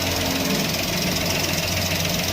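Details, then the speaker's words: Maruti Alto 800 after replacing the noisy clutch bearing in the gearbox, foot on clutch: even, steady idle with smooth hum, no grinding or whirring from clutch area; noise gone, normal idle. "આપણે ગાડી ચાલુ કરી દીધી છે, ગાડી એકદમ ચાલુ complete થઈ ગઈ છે। જો હવે હું તમને ક્લચ ઉપર પગ રાખીને બતાવું, જો અવાજ એકદમ બંધ થઈ ગયો છે।"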